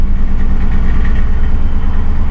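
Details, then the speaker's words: 2006 Crown Victoria Police Interceptor, fuel gauge on E, exhaust smells bad; low steady idle with slightly uneven shaky beat and no misses, smoother when revved; rough idle, cause unknown. "But it's got that jitter and shake at idle."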